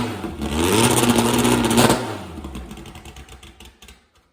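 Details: Retired drag car, last run in 1984, started for the first time in 40 years: engine catches and revs up crisply, holds an even note, then winds down smoothly with no knocks or misses; normal engine rev.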